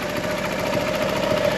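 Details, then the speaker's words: Fiat 500 TwinAir replacement engine idling after the oil pressure fix. No oil light, no leaks, no smoke, no dodgy noises. Even, quiet twin-cylinder beat with a faint hum and no knock; normal healthy idle. "so there's nothing there's no like dodgy noises there's no bad smells"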